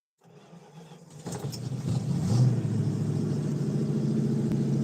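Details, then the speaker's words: 1952 Dodge truck with a cold-blooded engine, after starter work: a few faint slow cranks, then it catches at once and settles into a steady, even low idle; a normal cold start. "Sounds good on here. Mofo. Mofo's the man. She's a runner. Cold blooded."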